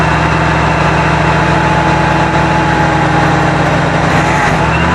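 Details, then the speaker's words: 1974 Avanti V8 just revived after sitting: uneven idle with a wavering low beat that sags near the end as if about to die, though it seems to run on all eight cylinders; carburetor cleaning possibly needed, cause unconfirmed. "it didn't like that well we know it runs it seems to be running around all eight cylinders which is good"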